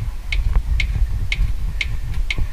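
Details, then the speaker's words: Kia Sorento V6: sharp metallic ticks over road rumble when driven over street undulations, from cracked body metal at the rear suspension subframe mount, cracked internally; repair needs the subframe removed, internal reinforcement and rewelding. "com o carro com as vibrações ondulações da rua ele faz esse barulho aqui tá"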